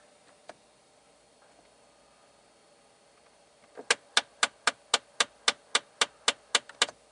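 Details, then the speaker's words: 2012 Jeep Patriot, about 126,000 miles, engine running, blower on lowest, fresh-air mode: sharp even clicking nearly four a second under the dash from the recirculation door actuator, its stepper motor skipping on stripped gears; fixed by replacing the actuator. "usually what it is is inside the actuator the gears are stripped and it's trying to drive you know the the stepper motor still trying to drive and it's it's skipping on those gears"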